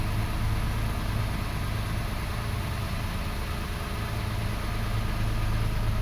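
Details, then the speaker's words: 2005 Toyota Passo on its original ECU, idling after its coil ground (no-start cause) was verified fixed; low, even rumble at steady idle, no skips or shakes; coils no longer starved of power; normal idle. "Engine is smooth."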